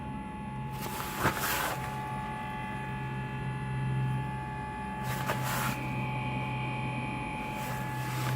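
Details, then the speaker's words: Diesel heater in a Sprinter camper van heard from outside while running: a faint, steady electric whir with a low hum underneath; the small motor runs quietly and normally. "as far as outside noise it's very negligible not much [Applause] you hear a little electric motor"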